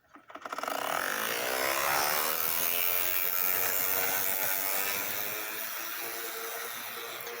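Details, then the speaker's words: Model railroad locomotive: fast, fairly regular ratcheting buzz about four per second over a high motor whir, easing slightly as it runs; gear mesh noise that eventually goes away. "Eventually that noise goes away."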